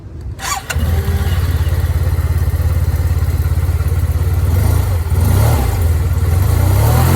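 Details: TMax 500 motor scooter cold start with the brakes held, kill switch activated. Cranks briefly, catches in about one second and settles straight into a smooth, even idle. Healthy, easy start.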